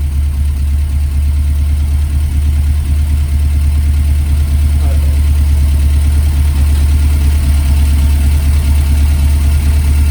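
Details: Ford experimental prototype Corsair GT with a fuel-injected Essex V4 and Capri 5-speed, tick-over being adjusted with the air filter off: a deep, even idle with a steady low pulse and no stumbles, healthy.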